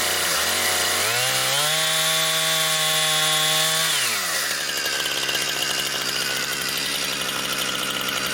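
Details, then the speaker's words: Brand-new Husqvarna 460 Rancher chainsaw on its first run, cutting pine firewood: an even rise to a steady high scream, then a rough rasp as the chain bites wood. It runs strong and smooth, a healthy saw. "it sure does cut right through though it really is doing a good job here is you can feel the power you can feel the difference uh that a big motor makes on this"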